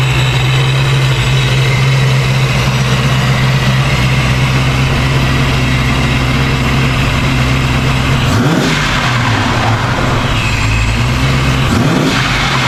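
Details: 1990 Ford Mustang Foxbody convertible V8 with newly installed ProCharger supercharger, first startup: deep, lumpy idle holds steady, crisp throttle blips rise and fall cleanly; engine healthy.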